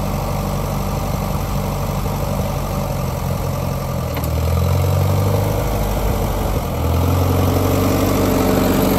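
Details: Grandpa's old four-cylinder tractor idling just after its first start, once the fuel was turned back on and pulled: a steady, even low putter that picks up slightly midway, then settles into a smooth run. Normal idle.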